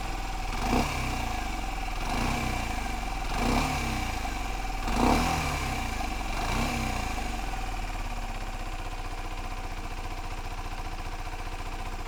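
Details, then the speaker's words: Used 125cc motorcycle heard through an open section of fairing: smooth steady idle with a few clean throttle blips rising and settling evenly, no knocking or bangs. Normal idle and rev. "this is how 12 125 should sound if it sounds any different than that if it sounds like there's some knocking in there some like really loud bangs going on in there walk away"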